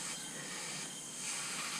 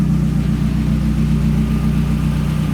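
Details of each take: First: Mazdaspeed 3 leakdown on cylinder 3 (P0300 misfire, low compression), 100 psi in and holding 20: a steady, strong air hiss rushes out of the open intake. Leaking intake valve. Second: Mazdaspeed 3 after cylinder head rebuild with Kelford aftermarket camshafts and stiffer valve springs, at idle: even idle with busy, fast top-end ticking, normal louder valvetrain noise from the stronger springs, harmless.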